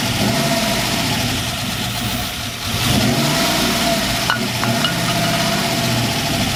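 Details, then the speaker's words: Ram 1500 pickup with an LS V8 swap, first start after oil fill and fuel filter change: engine catches and holds a steady, even V8 rumble with no knocks or misses; normal running. "so guys as you just seen we finally got the truck to fire up so we're one step closer to getting our ls swap truck done"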